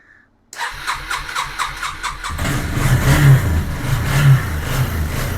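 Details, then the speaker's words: 2001 Yamaha Bear Tracker 250cc ATV, long-sitting, no-spark problem with stator pickup coil suspected, fuel leaking, likely at tank petcock seal: brief cranking, then catches cleanly and idles with steady low pulses and light blips; normal start and idle. "Well, it's running and it sounds good, but my gosh, it's got a bad leak."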